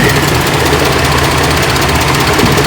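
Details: 4.3L Vortec V6, reused exhaust manifold gaskets: idle with fast, light ticking over the hum; owner suspects a slight exhaust manifold leak, not confirmed.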